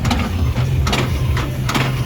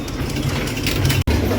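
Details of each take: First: Cosmic Tower arcade game with Error 7, big ball hopper motor run from the test menu on the player two side: heavy clunks about every 0.85 seconds over low motor hum, similar to the clunking heard before it errored out. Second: Cosmic Tower arcade machine showing error 7 (fallout component sensor error), game running with credits: steady low mechanical rumble with gear clatter and a brief drop; tower mechanism turns evenly and works, though balls don't always come out.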